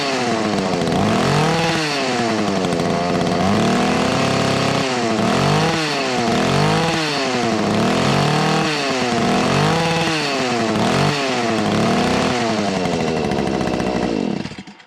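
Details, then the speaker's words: Two-stroke whipper snipper (string trimmer) in spring: revs cleanly up and down in quick repeated bursts, brief four-stroking and bouncing off the rev limiter; crisp, healthy, normal running. "Well, she's for stroking a little bit and hitting the rev limiter there, but uh that sounds like a damn good running whipper snipper all these."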